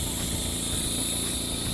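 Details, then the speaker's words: Pressure test on a heavily ported Homelite Super XL-130 chainsaw gives a steady high hiss over a low pump rumble, air escaping through a crankcase leak, suspected of causing the spark plug discolouration. "Alright, so I'm doing my pressure test right now. I got everything hooked up and blocked off. Can you hear the leak?"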